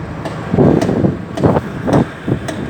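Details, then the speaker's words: Volvo FMX truck: over the engine rumble, a dull clicking knock repeats about twice a second with the rear wheels turning; the rear wheel discs are intact, so the rear axle is suspected; cause unknown. "Посмотрели, в общем, диски целые сзади. То ли в этом мосту что-то сзади. Вот такой вот звук издает."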